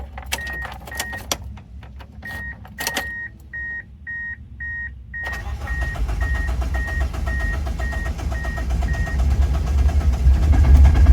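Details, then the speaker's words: 1999 Mitsubishi Eclipse, first start in two years after a new ECU install and wiring harness patch: door chime, then a lumpy, uneven rumble that keeps swelling; runs rough for an unknown reason, with heavy smoke from the headers. "it's rough I don't know why it's rough hold [Music] on it's rough but it started it's really rough it's really rough"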